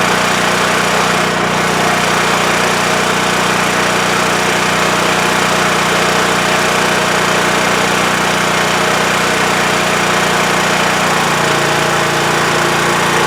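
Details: WEN TF1450X 14500W tri-fuel generator after repair, previously cutting out after 20 seconds with no spark: steady, even mid-pitched drone with no surging, misses or stalling; holding speed and running healthy, display reads 232 volts.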